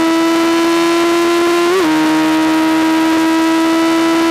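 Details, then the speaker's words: 2003 Yamaha FZ1 near redline: a high steady scream with a brief stumble and pitch wobble, then recovery; slight misfire above about 10,500–11,000 rpm that worsens higher, owner suspects rich carb jetting. "it w rev well it rev but it started shooting ducks or a slight misfire and that was anywhere above 105 11 got a little worse"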